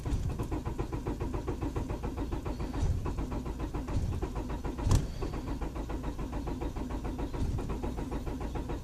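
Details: 1999 Honda Accord LX cranking with fast, even chugging for several seconds but never firing; spark present at all four plug wires, main relay solder joints checked fine, a little gas sometimes helps; crank, no start.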